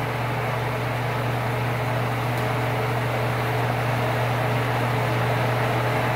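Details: Old Sears Kenmore stackable washer-dryer after fixing a loud racket: steady, even low hum with a light watery rush and no knocks or rattles. Normal drain pump-out.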